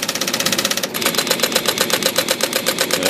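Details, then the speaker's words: IBM Selectric II typewriter after rotary backspace adjustment: crisp even ticks about four per second, held key powering right through with no stalls; backspace stalling fixed. "made a lot of difference I'm holding it now and it's powering right through"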